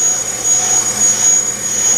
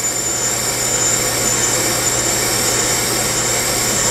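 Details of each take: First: Bench brake lathe cutting a rotor: steady piercing high squeal over a consistent cut, from rotor vibration against the cutting bit; a noise-absorbing damper device minimized but didn't eliminate it; brake lathe chatter squeal. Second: Bench brake lathe resurfacing a rotor: a steady, even hiss with a consistent cut all the way around and no loud squeal, just a faint high tone, after a vibration-damping device was fitted to suppress chatter.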